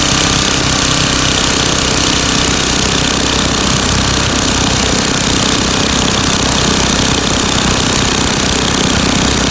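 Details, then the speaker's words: Craftsman 9 hp Tecumseh snowblower after fixing surging by adjusting the governor speed-control spring tension and setting the screw to about 3600 rpm (tachometer attached). Loud small-engine clatter holding one even speed, no rise and fall; governed speed steady. "and you can see that this was not doing this motion anymore so now I've gotten rid of the surgeon just by adjusting the tension on the spring here"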